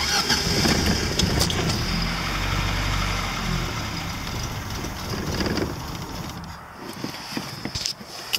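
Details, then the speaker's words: Lada engine after a new timing chain, car driven a while since: cranks, catches quickly, settles to an even idle that quietens; the new chain no longer makes the previous noise, the belt makes a funny sound; normal start and idle. "oh yeah here it's running and it sounds like a l motor so and now when we have this six six plate F belt it's keeping quite funny sound but yeah now the timing chain don't make that kind of noise but like it's made the previous because now it's new"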